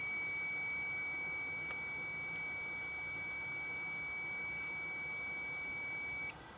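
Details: Mercedes 508D/613D fan thermostat switch bench-tested in boiled water: steady multimeter beep about six seconds then stops sharply as contacts open; owner finds cycling a bit slow but okay; switch working.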